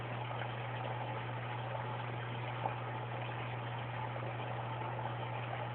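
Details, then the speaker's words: Aquaticlife Mini Skimmer 115 in a 10-gallon sump after venturi valve and airline mod on the air intake: only low even pump hum with faint airy hiss, no gurgling bathtub-drain sound; runs silently, performance unchanged. "like I said if you can hear it at all you can't I can't hear a thing with it"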